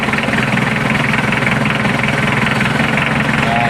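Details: Mitsubishi L300 4D56 diesel at a steady, even idle with a smooth regular clatter, no misses or surging, after fixing a no-start caused by a failed fuel shutoff solenoid that had power but would not engage.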